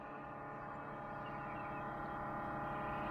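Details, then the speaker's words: Jeep CJ-7 converted back to electric fuel pump, Holley Red, with rubber isolator, pressure gauge fitted, return line pinched: steady droning hum with fast even pulse about four a second; pump too noisy, may need rubber mounting, pressure only 1 PSI. "oh that is noisy isn't it even with that rubber isolator in there I may have to rubber mount it too"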